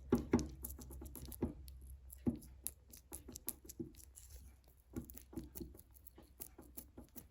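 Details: Triumph Spitfire 1500 rear hub turned by hand with the half shaft removed and no engine running: scattered dull knocks and dry clicks, sounds knackered; worn rear wheel bearing and universal joint, both to be replaced.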